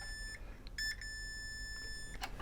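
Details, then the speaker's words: Kenwood A-85 amplifier with no power to external back parts; multimeter in continuity mode gives a clean steady high beep across the fuse, showing continuity: fuse intact. "so we just put it onto continuity mode so beeps if you use one is good"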